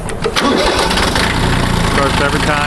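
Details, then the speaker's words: 1981 Kubota B6100 four-wheel-drive diesel tractor, glow plugs held 15-20 seconds, clutch held; brief crank then catches at once with smoke, steady clatter, normal cold start. "smoke goes right away which is just normal for a diesel i've owned lots of diesel"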